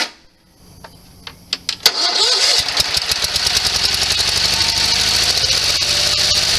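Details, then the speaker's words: Sears SS16 garden tractor with an Onan twin, revived after years sitting. After cranking clacks it fires, with the mower deck engaged after driving in gear, into an uneven, loping beat with missing pulses. It is running on one cylinder, cause unknown. "so lower deck does engage but for some awful reason it's running on one cylinder now"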